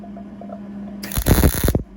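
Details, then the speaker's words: Beginner MIG welding a broken shop stool with steel wire: quiet hum, then a brief even crackling sizzle that stops cleanly; steady, well-settled MIG arc, weld feels solid. "there that sounded good there you go there you go I mean starting to feel pretty solid"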